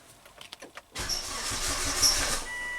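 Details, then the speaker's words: Volvo wagon during fuel pump diagnosis, crank no-start, zero fuel pressure with fuel pump relay off: few clicks then sluggish, uneven cranking with slow dragging turns as the battery dies; slow crank from weak battery. "ah the battery's dying stop crap scanner shut off oh my gosh this battery is spanked"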